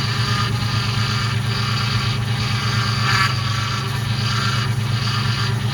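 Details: Ford Mustang GT V8 idling while bleeding power steering: constant thin whine over steady idle; owner believes an air bubble trapped in the pump, which turning wheels lock to lock can often work out. Power steering pump whine, suspected.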